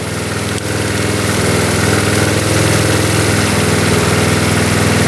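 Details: 1972 Honda CT70 single-cylinder, all-original auction bike being revived after a bogging issue, idling in neutral after rewiring; steady, even, regular beat with no misses, knocks or ticks; healthy, settled normal idle.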